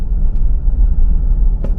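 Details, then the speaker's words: Used 2004 Acura MDX in D5 at about 1,200-1,500 rpm and 25-30 mph on a gentle incline: deep, coarse rumbling grind, suspected transmission; a prior rock-in-heat-shield fix did not cure it. "You see my RPMs and you see my speed, and that grinding sound has been going on for the last half a mile, well, quarter"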